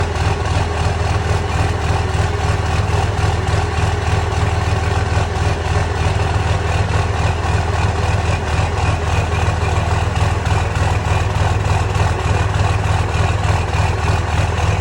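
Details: 2006 Cummins diesel idle with deep uneven lope about three beats a second and occasional stumbles, surging, no smoke; owner suspects bad injectors, unconfirmed.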